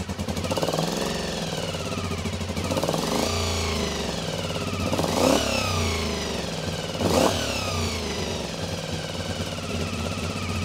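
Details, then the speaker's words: Honda VFR400 motorcycle, first start after stripping and cleaning blocked carburettors, on a boost pack, idle screw adjusted: uneven idle that surges and sags with throttle blips; carburettors not yet balanced; rough running. "It'll probably run like an absolute bag of spanners until we've balanced the carbs, but hey, as long as it runs, that's what we care about."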